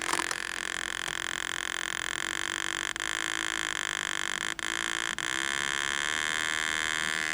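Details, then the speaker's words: Vertical deflection of a 1949 Packard Bell 12-inch TV, speaker hooked to the low-impedance secondary of the vertical output; steady buzzy tone with overtones and brief dropouts from a crusty pot, vertical stage working normally. "Speaker's hooked up to the secondary of the vertical output. This is all low impedance on the secondary. You can do this. You can hook a speaker up and listen to it."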